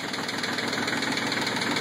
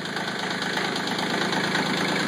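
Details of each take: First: CK20 diesel cold start at 37°F, glow cycled, throttle back, one or more glow plugs suspected dead: rough knocking uneven running with heavy smoke, rogue cylinder firing more often until smoothing after several seconds; rough running on cold start. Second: CK20 compact tractor diesel cold start at 37°F, owner suspects one or more glow plugs not working; after heavy smoke and a misfiring cylinder it smooths out to an even idle clatter firing on all cylinders.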